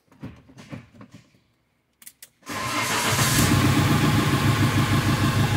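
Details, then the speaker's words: Fiat Ducato 2.3 diesel after front-end accident, fuel pump primed: brief cranking, then it catches at once and settles to a steady, even idle with no misses; no-start fixed, fault traced to the immobilizer/code box and key antenna. "aí galera Ó carro funcionando né mais um defeito aí solucionado"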